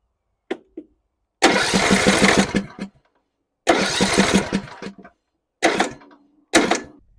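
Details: John Deere E100 riding mower that died while driving with a puff of smoke: several short bursts of fast starter cranking with a rough chug, never firing; cranks but won't start. Fuel cutoff solenoid being checked, cause unconfirmed.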